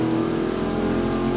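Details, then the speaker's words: Rebuilt junkyard Mopar 360 small-block V8 held at high revs under dyno load, a strong steady roar firing clean and even with no misses; good oil pressure and stable water temp, it pulls hard, making 419 hp and 438 lb-ft. "their fuels are good well she comes up quick nice power performance torque curve"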